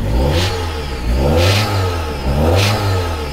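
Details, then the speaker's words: Car that stalls when shifted into drive or reverse, only code P1000: engine revved in steady pulls with a tinny ringing rattle rising over each rev; unsure, suspects air, clogged catalytic converter or exhaust, or mass airflow issue. "Hay como un ring, ring. No sé qué es eso, no sé si es aire, si es que es aire."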